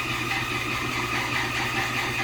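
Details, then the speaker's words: GLHS clone Dodge idling; thin, steady high squeal pulsing over the rumble from the compressor belt area, owner applies belt treatment instead of tightening belts; belt squeak, slipping belt suspected. "got his car down here but can't talk because that compressor won't shut up it's squeaking I know driver's gonna just go tighten the belts"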